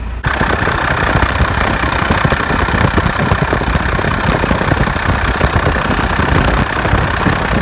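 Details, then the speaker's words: Cummins diesel truck idling after replacing the belt and tensioner with a Gates kit (previously squeaked at sustained 2000 rpm): steady diesel clatter, no chirp or squeak; belt noise fixed. "normally right now I'd be hearing a lot of annoying chirp since weeks but that's all gone I think this really did the trick the new belt and tensioner"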